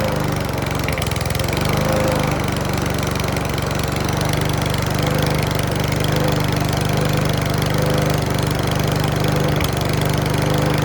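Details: Mountfield V35 150cc single-cylinder mower (HP414, 38cm cut) after a carb clean; runs unevenly with irregular pops and a clacking beat over the engine note. Owner thinks the carb needle needs sorting; possibly low on fuel.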